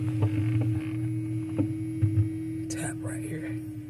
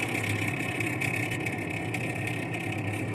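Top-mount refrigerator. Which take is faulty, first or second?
second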